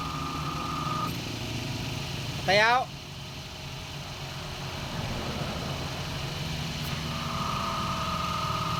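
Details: Toyota Vios idling with AC running after compressor pulley assembly and bearing replaced (old bearing wrecked, shaft damaged), belt set moderately tight: faint even whine, slightly noisy but normal.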